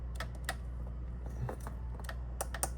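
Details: Eb saxophone key clattering with light, irregular metallic clicks as the key is worked; the problem is not the pads but the key itself, fixed by bending it slightly.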